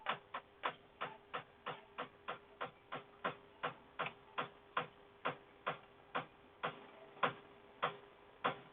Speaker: or whatever reason the pipes tick sometimes my house flips water hammer a civil expansion no I really have don't know only my wife is using the kitchen sink and that noise just happens from time to time so I'm guessing thermal expansion